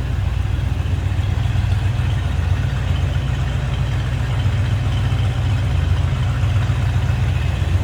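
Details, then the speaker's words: 1964 Chrysler 300K convertible V8 at idle: deep, even burble with a steady rhythm and no misses, knocks or rattles. Normal idle. "Very interesting car. Sounds good"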